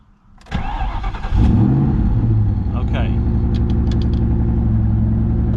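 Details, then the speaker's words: Ford Mustang Cobra with a suspected PATS key chip problem, cranked with the theft light flashing: short crank, then it catches and settles into a steady idle. It should not start with the light flashing; an intermittent no-crank was reported earlier. "So, so that thing cranked with the theft light flashing, which is really weird."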